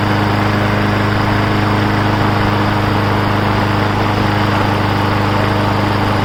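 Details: Briggs & Stratton Brute 6.75 engine on a 22-inch self-propelled mower with bagger, after repair: steady single-cylinder chatter at constant speed, even beat with no surging or sputter, running properly.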